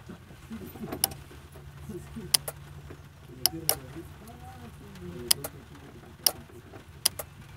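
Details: Non-starting 250 pickup truck, key cycled on and off with the mic on top of the relay box: sharp relay clicks, about seven in eight seconds, with no fuel pump hum after them; pump not priming.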